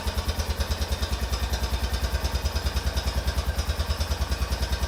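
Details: 2004 Honda Rincon ATV about 30 seconds after a fully cold start: steady, sharp knocking about three times a second at idle; disappears once warm and returns only after cooling, source not pinned down.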